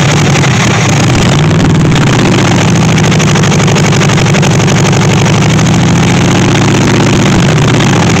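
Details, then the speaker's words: 1964 Chevy Impala SS Convertible, radiator just refilled, fuel hooked up: catches and holds a rough, wandering idle with slight speed swings, then dies for no apparent reason; stalling, cause unknown. "oh that's good and now it just died for no reason whatsoever again"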